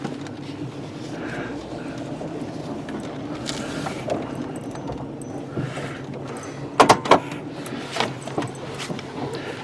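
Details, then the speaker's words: 1996 Mercury Grand Marquis driving over bumps, warmed up: quick bursts of sharp clunks and clanks from the front end over steady cabin rumble. "pretty good clunking and clanking going on in the front end here."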